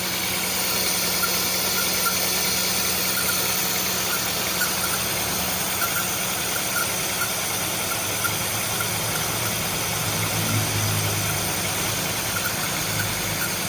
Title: Misfiring with white smoke HondaCity idsi #shorts